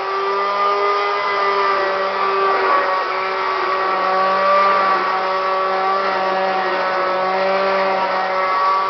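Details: Kirby Classic 1-CR upright vacuum, thrift-store bought and used only three times: loud steady motor roar with a harsh, slightly wavering whine; bearings went out, getting louder and shakier over time.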